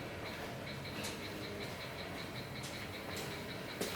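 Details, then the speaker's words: Ford Fiesta Mk6 back on road after three years, pre-MOT, left indicator on: faint fast even ticking from the dash well above normal flasher speed while the bulb doesn't light; hyperflash from failed indicator bulb. "It's having like a mini rave, but not lighting up. You can hear it on my dash that it's going absolutely bonkers."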